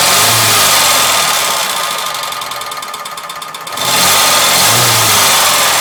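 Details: Ford Sierra 2.0 OHC carburetted engine running: rapid, even tapping over a hissy high-pitched run that dips briefly then returns; engine knock, source not identified.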